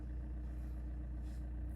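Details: 2012 Vauxhall Astra 2.0 CDTi diesel after repair of a no-crank fault caused by a faulty earth inside the fuse box: smooth, steady low idle with an even beat and no misfire, knock or hunting. Normal idle.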